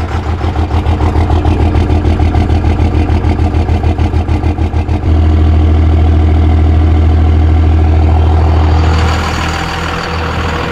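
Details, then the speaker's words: Diesel truck restarted after the lift pump primed the injector lines and fuel came through; cranks with regular pulses, catches into a loud, slightly uneven low idle that smooths out as it runs. "starting to sound a little bit better I'm gonna run it for a couple minutes now"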